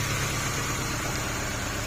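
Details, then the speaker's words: Honda CR-V 2nd gen with stumbling, shaking idle: rough idle with hiss and an uneven low chug. Lifting this cylinder's ignition lead causes no change, showing it has no spark, so it would run smooth if good. Suspected cause is a failed ignition coil, to be replaced. "ถ้าตัวนี้ดีมันก็จะเรียบเดินเรียบนะตอนนี้มันมีเสียง"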